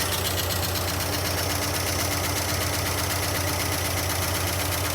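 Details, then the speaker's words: 1976 Dodge D100 Club Cab Adventurer, first start after 13 years parked: loud, fast, even top-end clatter about four per second at idle; owner first suspected bent pushrod or bad lifters, then found zero oil pressure starving the valve train. "Wow, that sounds terrible. Lots of valve train noise. Wow. I think we got a bent push rod or bad lifters."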